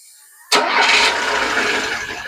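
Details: VAZ engine after Hall sensor replacement, about to have ignition timing set by ear; fires abruptly, catches straight away and settles toward a steady idle with no misfire, normal start.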